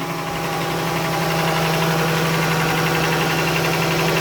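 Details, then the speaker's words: 3.6 Pentastar V6 idling cold after sitting for days, steady quick ticking that doesn't go away as rpm drops, so not a normal cold-start tick; valvetrain fault such as a broken rocker arm suspected, not confirmed. "now on top of that is cold you haven't been haven't been started or brand in a date so it's cold so one could say there's a cold start tick"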